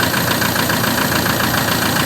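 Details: 2004 Toyota Tiger D4D common-rail diesel pickup, started easily and idling: even, steady clatter with no misses or loose knocking; engine tight, normal diesel idle.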